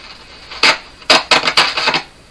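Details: Grundig Prima Boy Luxus portable transistor radio on bench power: sharp crackling bursts come and go in clusters when parts near the board switches are moved; intermittent contact crackle, source not pinned down; owner suspects cracked solder on large board-mounted parts.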